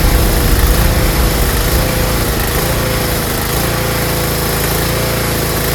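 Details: Tecumseh snowblower engine idling unevenly, pitch sagging then settling; surging or hunting at idle caused by a clogged carburetor pilot jet, fixed by cleaning it.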